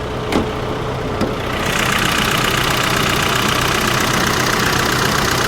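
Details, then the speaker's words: 2001 Saab 9-3 Turbo salvage car idles steadily, but a loud, fast metallic rattle of about four beats a second rides over the engine. The oil pressure light is on, and internal engine knocking or a blown engine is suspected, not confirmed. "s oh you hear that rattling that can't be good that can't be good uh-oh okay so we're gonna we're gonna pop the hood"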